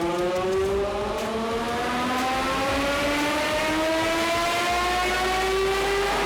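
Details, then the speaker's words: McLaren P1 GTR drift build making 944 hp on 19 psi boost, after a day chasing faults, buying parts and changing the fuel: piercing scream climbing smoothly in pitch under load, with no flutter or stumble. It pulls clean. "Now we're screaming! What a day of chasing shit. Spending lots of money, (beep) buying more parts and change the fuel, We're frickin back into it."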